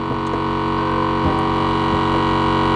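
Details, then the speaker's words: Airlift 3P air suspension compressor filling the tank on a car with a leaking bag; the rear still runs a spring instead of a bag: a steady electric motor drone with a constant whine and no rattles or surging, due to shut off shortly. Filling normally. "Alright, so as you can hear, the tank is on right now. It should be going off in a second,"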